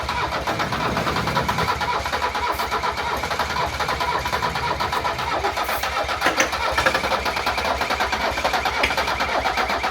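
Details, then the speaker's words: 1978 Mercedes 300CD with swapped-in 1984 OM617 turbo five-cylinder diesel, new injection pump, 40-year-old starter getting hot: steady fast cranking, briefly catches and picks up then falls back; ran for a second, won't keep running. "She ran for a second."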